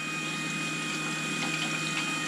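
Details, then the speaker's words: Turbocharged COPO Camaro electric coolant pump after an air pocket burped out of the system; steady smooth hum with even fluid whir, no gurgling or rattling: normal pump operation. "so that's awesome the pump was going like it had air in it and uh yeah it must have burped because she's good to go now"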